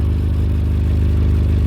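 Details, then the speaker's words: Suzuki Carry after failing MOT on exhaust emissions, heard from underneath at idle: deep even puffing chuff with hollow blowing edge from a hole in the exhaust, likely causing the emissions fail. "not sure whether you can hear that or not it does sound like there's something blowing well there's our hole anyway yep it's blowing"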